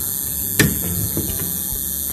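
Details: LED light 12 V switching power supply (LED driver) buzzing, with the LED slightly blinking: steady low mains buzz continues after the LED output cable is disconnected; failed capacitor in the supply.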